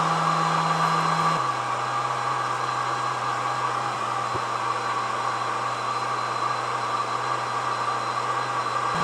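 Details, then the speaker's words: ISDT FD-100 discharger with its tiny 40mm fan, discharging a battery pack at 6 amps. Steady, airy whir with a constant tone that shifts only slightly once: the cooling fan is spinning hard and smoothly, working normally. "So sorry for the fan, it's at 6 amps right now."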